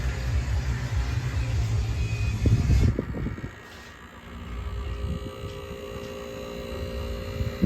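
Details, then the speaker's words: 1966 Admiral Royal 106 10,600 BTU window air conditioner, permanently installed, fan motor previously replaced: low steady hum with soft fan rumble, no rattles or knocks; runs quietly and smoothly. "And then I'll turn the radio down so you can hear just how quiet it actually is."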